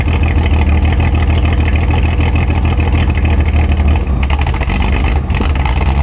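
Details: Nissan 280Z at idle: loud lumpy idle with an uneven low pulse, about 200 a minute, hunting and stumbling; rich misfire from an injector stuck open.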